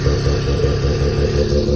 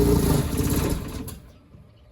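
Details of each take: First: Mazda rotary engine in a trike, which was earlier smoky and is leaking coolant, with the owner suspecting the manifold gasket. It runs with a smooth, fast, even buzz and no stumbles or misfires, which is normal running. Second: Mazda rotary engine in a home-built trike cranks and catches, runs rough and uneven, goes quiet, then bursts again while pouring heavy exhaust smoke. The owner suspects a water seal failure, unconfirmed, and plans to tune the carburettor.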